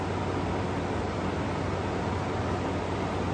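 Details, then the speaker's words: Frigidaire Gallery GHWQ103WC1 10,000 BTU air conditioner, 115 V, likely inverter, under a year of use: soft airy rush and low even hum at low speed, condenser fan ramped down, suction line sweaty, reading of 47; ice cold, very quiet, normal running. "it's going back nice and cold and super sweaty still got plenty of heat coming off off the condenser this thing is ice cold this thing is so quiet it's"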